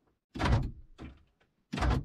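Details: 1997-2001 Honda CR-V after swapping the power door lock module for a used one: three crisp thunks about a second apart with no buzzing or grinding; the actuators cycle cleanly, problem fixed.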